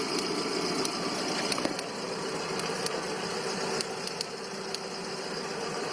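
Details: 2009 VW Gol G5, 30,000 km, at idle: hissy background with scattered sharp irregular ticks and dips in level, with jerks and rpm loss; cause unclear, shops suggested normal, lifters, or cracked ignition coil and worn throttle body.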